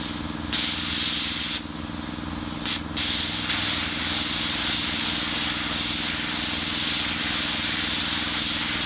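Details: Redbo ExpertCut 60 plasma cutter tested on site after repair, its failed input diode bridge replaced: a steady, loud hiss over a constant low hum with no sputter or dropouts; the cutter is cutting normally.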